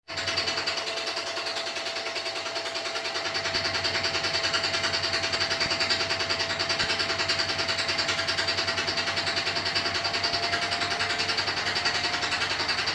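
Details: New Beko WY124PT44MW 12kg washer, 3rd–4th use, light load: steady hard rattle about three times a second as the drum spins; installer left a transport bolt in place and feet lock-nuts not set.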